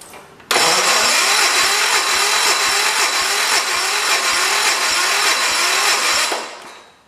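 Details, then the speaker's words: 1973 "112" after new points, coil, condenser and carburetor, on battery charger: starter drags slowly, steady chug about twice a second, not catching; slow cranking, weak battery suspected. "alright I hooked her up to the charger we're gonna go on at again trying to see if we can get her to go she just turned over to kind of slow"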